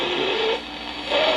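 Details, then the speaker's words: 1962 Zenith Royal 2000 portable radio during repair, tuned near 970 on a noisy power supply: thin whistle sliding up and down in pitch over hiss; radio oscillating, station weak, cause not confirmed. "camera seems to oscillate right at about 970 so 970 is coming in pretty weak but I can hear it"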